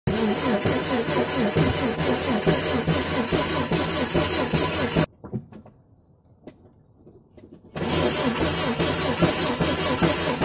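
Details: Renault Twingo C3G engine, 1995, cranking: uneven lurches at about two and a half beats a second with a pause mid-clip; low compression on cylinders 2 and 3.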